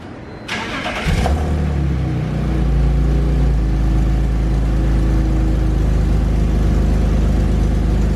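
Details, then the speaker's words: 2001 BMW E46 330i wagon at idle after fitting aftermarket catless headers that fit poorly and hit the transmission; engine cranks, catches and idles with a loud raspy ticking puff from a huge exhaust leak at the header flange. "no surprise there is the huge exhaust leak well let's see what we can do about it"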